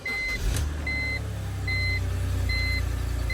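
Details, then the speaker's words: 2006 BMW X3 E83 2.5i, first start after spark plug replacement for misfire and engine light (coil packs recently changed): steady, even low idle with no ticks or stumbles, reversing beeper in background; normal idle. "so that's perfectly fine it's running running fine no noises no dramas here"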